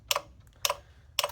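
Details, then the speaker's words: 1989 Ford F-350 7.3L IDI diesel, key on, engine off, after reconnecting all glow plugs and batteries: glow plug relay clicks rapidly, about twice a second, with no change; owner suspects controller rejects new plugs' resistance or logic board has failed. "this comes back to either it's not happy with the resistance reading that it seeing from my brand new known good glow glow plugs or the logic board has given up the ghost"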